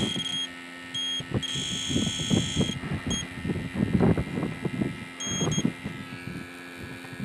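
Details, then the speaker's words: Electronic refrigerant leak detector sniffing a refurbished R12 AC compressor on an '88 Jeep XJ: repeated high beeps in short bursts; false alarms likely from fresh freon residue at a recently used port. "Sometimes what will happen is if there's one leak, like the other day, I had the equipment all hooked up to this port, and because it had fresh freon going in and out of it, it showed leaks everywhere. Kind of like right now."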